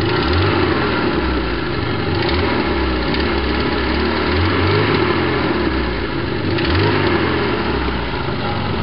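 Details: BMW E21 316 with 1.8 M10 engine at idle after a head gasket swap and carburettor rebuild: lumpy, uneven idle with irregular thumps and occasional stumble from a slight misfire; owner guesses ignition timing.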